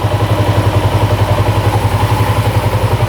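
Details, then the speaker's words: 1987 Yamaha SRX 250cc, seller said it wouldn't run: firm, regular thump about four beats a second, steady with no knocking or clatter; healthy idle at 1200 rpm, choke off, carbs not leaking, slight petcock fuel leak. "Fired up. Sounds pretty good. Sounds really good. No knocking at all. Carbs aren't leaking. Idling perfect. 1200 RPM."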